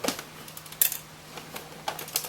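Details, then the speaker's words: PlayStation 2 giving no component video signal, moved by hand: irregular light clicks and taps as something loose shifts inside; probably a broken bit of the case, not confirmed. "There is something rattling around in there. It's probably just a bit of the case."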